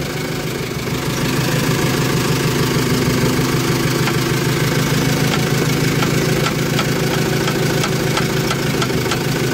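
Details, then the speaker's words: Ford Transit V184 van idling, left front: sharp, uneven crackles and clicks as the steering is turned, from a broken front coil (shock absorber) spring. "amasör yayı kırılmış arkadaşlar"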